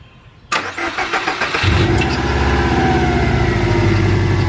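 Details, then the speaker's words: Subaru Legacy GT first start after engine reinstall (ringland fix): short crank, catches quickly, settles into even steady idle; freshly installed engine runs fine. "i think it's running good i think we're gonna be all right"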